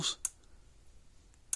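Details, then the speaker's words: Gallagher B80/B180/B280 fence charger after repair of no pulse, no output, likely lightning damage: sharp dry ticks about 1.3 seconds apart in a quiet room, putting out 10,000 volts; pulsing normally. "So now we're working like a dream. So probably lightning is probably what got this one. So this one's working fine."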